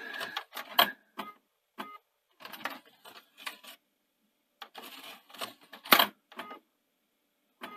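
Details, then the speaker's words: Panasonic DMR-EZ48 VHS/DVD recorder (2011) with DVD drive issues and U80/U81 errors; short bursts of dry clicking and whirring as the mechanism keeps cycling, tray drives on; suspected faulty tray end sensor. "yeah it sort of drives on so it strikes me as probably something wrong with that an end sensor there for the the tray"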